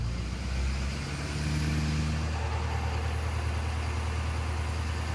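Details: 2011 Ford F-350 6.7 Power Stroke diesel, high idle wired with 20k resistor, in neutral with parking brake on; idle rising to steady hum around 1200 rpm: normal high idle.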